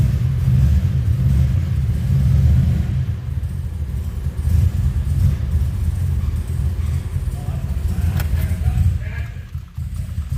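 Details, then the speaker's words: 2007 Pontiac Grand Prix GXP LS4, first start after rear head bolt thread repair and about 30 tries: a heavy, uneven rumble that sags and stalls, as if something is locking up. Belt slip or tune relearn are suspected; oil not milky. "I killed it. Yeah, it sounds like something was trying to lock up."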